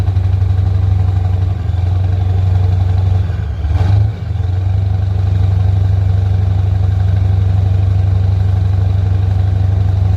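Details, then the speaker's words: 1985 Ford F8000 with Caterpillar 3208 turbo V8 diesel, first start after starter solenoid repair, idle-sitting since August, cold weather (about 5–10°F), freshly fuelled: deep steady idle with one brief dip, little white smoke; normal idle. "running real clean too not much of white smoke I was expecting a lot more"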